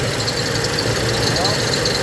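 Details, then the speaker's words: Engine idling after power steering work, while bleeding air from the system: a faint moaning whine climbs as the wheel is turned back and forth and held briefly at full lock; normal power steering pump strain, not a fault. "Turn it back and forth a few times. And then when he hits the lock, you guys can hear how it strains. Don't leave it there too long."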